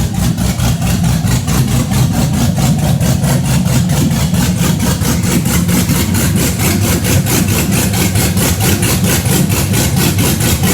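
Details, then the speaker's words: Cammed Chevy Blazer, first start-up: loping uneven idle around ninety beats a minute with deep choppy exhaust; normal big-cam idle, nothing wrong. "That doesn't sound normal. That's That's normal. what it's supposed to sound."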